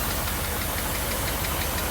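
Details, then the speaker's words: 1982 Mercedes 380SL V8, warm idle after new pre-oiled timing chain tensioner, water pump, hoses, vacuum leak fixes: light rapid tap-tap-tap on passenger side keeping pace with engine speed; valvetrain tapping, cause unclear. "I've got everything put back together up under the hood I do have a little uh tap tap tap over on the uh passenger"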